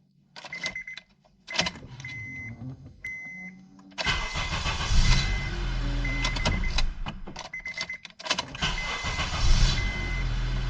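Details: 2006 Honda Accord 2.4 four-cylinder, previously wouldn't start, final test after replacing the ignition switch (Honda 35130-SAA-J51): a few chime beeps, short crank, engine catches at once and settles into a steady idle; clean start.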